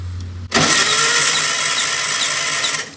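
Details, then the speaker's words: 1964 VW Beetle engine, first start attempt after sitting over 25 years: starter whirs about two seconds, never fires; no spark because distributor contact points are covered in junk. "And you see those contacts right there? They should be sparking, but they're covered in junk."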